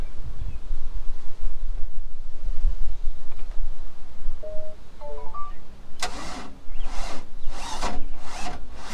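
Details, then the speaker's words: Mercruiser boat engine with an Alpha 1 Gen 2 outdrive, a new battery charged overnight and a good alternator. The starter turns over slowly and laboriously, with a few heavy, widely spaced beats. "so still the same thing I don't understand why it's not cranking over very quick"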